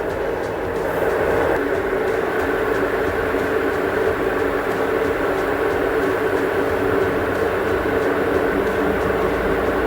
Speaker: Now you can see only 4 minutes remaining. Still not making any abnormal noise. Now 100% sure it's not making any abnormal noise.